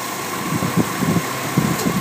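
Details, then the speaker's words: 2001 Subaru Outback L.L. Bean at idle: rough uneven idle with irregular low thumps, misfiring on every cylinder except number one. "it was missing when debbie dropped it off this morning okay so we pulled it into the bay it was still missing"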